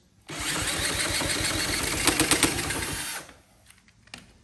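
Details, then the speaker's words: Honda CT70K1 bought at a swap meet, cranked with a drill at wide-open throttle with starting spray and fuel in the bowl: steady drill whir with faint engine chuffs that never catch; cranks but won't start, owner suspects low compression. "oh I felt like it was going to go it sounds like it's so close"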